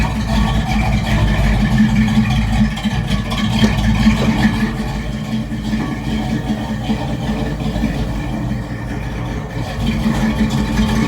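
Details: V8 race truck with Holley setup, no mufflers and dual-chamber exhaust, idling after re-plumbing the fuel lines and rewiring the fuel pump: steady lumpy burble holding even without stumbling or misfire; normal idle.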